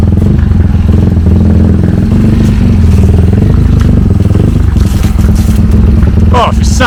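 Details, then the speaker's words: Honda CT70 Trail 70 K0 after swapping the 140cc engine for a 212cc, kick-started with strong compression: a loud, deep, steady single-cylinder thump at fast idle with an even beat and no knocks; normal running. "SS great man sounds so good so good really"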